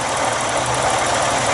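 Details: 1985 Buick Century 231 (3.8L) V6 idling after thermostat replacement and MAF cleaning, no leaks; smooth, even idle with a soft steady hum, no ticking, knocking or hunting: normal idle.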